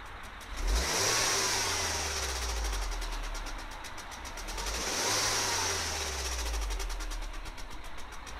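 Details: Mini N18 engine at 35k, revved twice: a light metallic rattle rising and falling with revs; top-end rattle, cause unknown.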